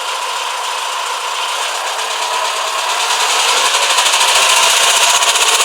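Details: 2007 Renault Espace IV 2.0 dCi M9R (175 hp), 150,000 km: a sudden sharp, regular knock, about four beats a second, rising with throttle near the timing chain on the left of the head. It is quieter when cold, and the injectors were checked as OK.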